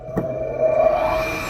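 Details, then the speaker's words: 1962 Powermatic 90 lathe three-phase motor fed single-phase on two phases without a capacitor, not self-starting, spun up by hand: steady buzzing hum with a growl that swells then settles; single phasing. "ok this is a test of the three-phase motor with single-phase just connected to two of the phases without either capacitor so it doesn't start right away but I can hear buzzing if I wind it up"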